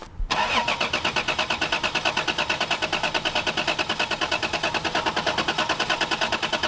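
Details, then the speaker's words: MGB GT with mouse-chewed wiring being replaced: fast, even starter cranking for several seconds that never catches or fires; turns over fine but gets no fuel. "let's try it again yeah I don't it's not getting fuel fuel pumps on I hear it"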